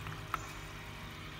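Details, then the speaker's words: GX aquarium air pump (oxygen bubbler) placed inside a noise-reducing enclosure: quiet, steady low hum with only slight vibration left, noise greatly reduced. "Ê mày có nghe thấy nó giảm tiếng ồn rõ rệt không ở gần như là không có cái buồn nữa để làm rõ rệt luôn Anh chỉ còn một cái tiếng rung nhẹ thôi"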